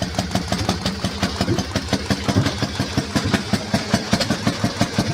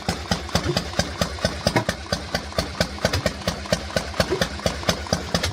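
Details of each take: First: Harley-Davidson 1200 Panhead V-twin, twin plugs, single-fire ignition firing both pots together, belt drive, warming up: lumpy loping beat of a few firing pulses a second staying even and steady, a healthy old V-twin idle. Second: Harley-Davidson Panhead started cold after fuel priming: slow, loping potato-potato beat about two pulses a second, idle dropping a touch low; expected to sort itself out once it warms up.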